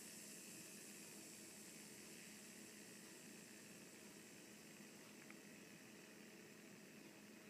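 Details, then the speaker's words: Abu Garcia Revo MGX baitcasting reel after installing Boca spool bearings (3x10x4, 5x11x4), spool tension knob loosened: soft steady free-spool whirr with no clicks, ticks or grind; much smoother than stock. "Now, you just reassemble the reel. Simple enough. And now, much smoother already."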